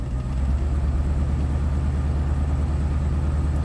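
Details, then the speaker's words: 1998 Chevy Silverado 2500 5.7 L V8 idling in gear under light load: uneven loping pulse, about three stumbles a second, from a constant misfire on cylinder 5, driver's bank third back, without setting a code. "constant miss on number five save that data so number five is going to be on the driver's bank third cylinder back"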